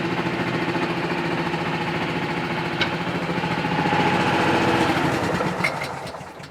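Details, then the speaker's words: Pluk-O-Trak orchard vehicle running: small engine chugs evenly while a thin squeak rises over it for about a second. The squeal comes only sometimes and its source is not yet found. "gesund hört sich nicht an dieses quietschen damit sie mal gucken was und sie hat das ja gesehen das ist nicht immer das ist nur manchmal"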